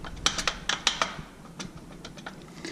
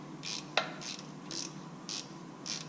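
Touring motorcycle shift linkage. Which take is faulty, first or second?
first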